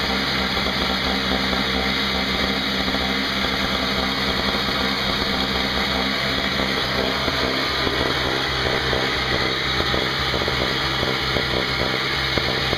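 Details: Craftsman 5hp 21" two-stroke snowblower test run outdoors after carburetor repair (leaking fixed), 20:1 fuel mix, not started in a while: crisp even buzz at steady speed, no stumbles or surging; running normally.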